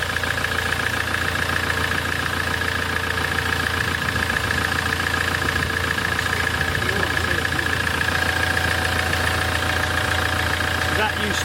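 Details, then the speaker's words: 2008 Land Rover Defender 2.4 Puma diesel after injector service, oil, air and fuel filter change, previously chuffing through oil filler cap: steady smooth idle with regular beat, no knocks, misses or hunting; oil cap now dry. "be quick on me accelerate if it does go hey hey hey that sounds lovely as"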